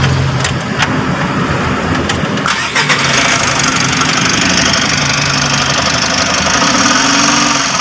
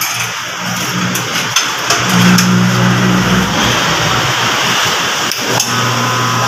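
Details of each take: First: Mitsubishi L300 Euro 4 diesel van cranks and settles into rough idle with a steady rumbling whir from the alternator's worn bearing. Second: Mitsubishi L300 Euro 4 alternator on test bench after replacing noisy old bearings spins with an even hum and no grinding or whine; quiet alternator, normal running.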